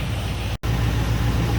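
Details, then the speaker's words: V8 with Holley/Edelbrock-type carburetor running a Carb Cheater self-tuning system switched on: deep even idle rumble holding good idle RPM and AFR, no hunting, one momentary cutout. "all right so we're maintaining a good idle RPM good idle AFR"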